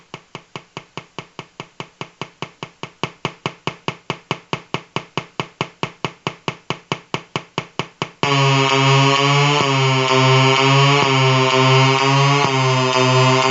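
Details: Colour-changing LED bulb on 4.5–6 V DC batteries: even clicking pulses about 140 a minute, then steady buzzing tone with low hum; interference noise from the colour-cycling LED driver.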